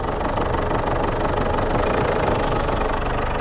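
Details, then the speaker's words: 2008 Ford Ranger 3.0L turbo diesel (hard starting, black smoke) idling on all four cylinders after number two injector reconnected: rough, uneven idle with irregular knocking and heavy smoke; number two injector leaking too much, over-fuelling. "you could already see there was a lot of smoke coming out i'll do it again there you have it guys number two injector is leaking too much"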